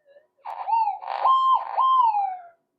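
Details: Repaired Minelab SD2100 metal detector on cancel coil: clean warbling tone rises and holds each time aluminium passes near the coil, crisp and repeatable; detector works properly.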